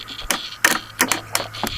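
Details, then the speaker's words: 70cc Chinese automatic quad with seized engine: newly installed starter, hotwired directly, gives sharp irregular clicks without cranking; gear drive spins freely in reverse but won't budge forward; starter appears burned up. "I just invested another 22 bucks in a starter and guess what it appears as if the starter burned up you guys could watch this you hear the clicking and the"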